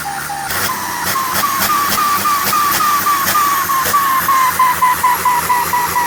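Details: Engine with HX30 turbocharger: clear high-pitched whistle above the engine, slowly dropping as revs fall, with a hiss; turbo singing noticeably. Cause suspected, not confirmed.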